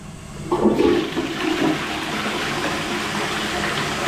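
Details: Toilet after clearing a blockage with repeated plunging: quick rush of water swells into a steady, even swirl that keeps draining freely, with no gurgle or backing up; flushing normally.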